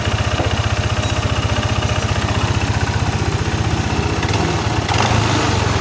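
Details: First-generation Yamaha NMAX with an ISC sensor, idling untouched: a steady, fast, even putter that never settles, and the rear wheel spins by itself without throttle. High idle.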